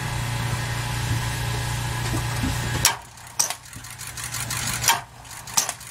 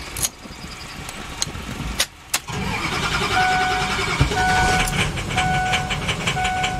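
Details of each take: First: 2006 Ford E-450 Super Duty, 6.0 V8 diesel, battery at 12.3 V: low strained whir about three seconds, then isolated clunks as the engine barely turns; starter burned out from prolonged cranking, failing. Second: 2006 Ford E-450 Super Duty, 6.0 V8 diesel, after a failed starter was replaced: a few clicks and a pause, then a quick crank and the diesel catches into a steady clatter. Normal crank and start.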